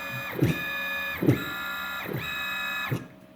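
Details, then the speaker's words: Open-loop stepper motor under rag-applied load: whine breaks up with periodic thumps, starting to lose steps at 190 inches per minute, then stalling completely around 270 in/min. "you can hear it it's making some noise [Music] 190 it started in the steps 270 it steadily choking out"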